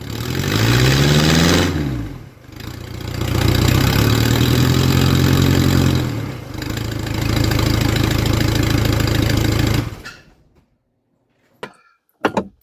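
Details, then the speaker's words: OM616 diesel-swapped 1968 Mercedes-Benz run with no exhaust/muffler (straight pipe): harsh raw diesel clatter and blat swelling on each rev, dropping back to idle, far too loud, like an angry Briggs and Stratton. "I think it's safe to say that's not the answer basically just sounds like an angry Briggs and Stratton Muffler it is"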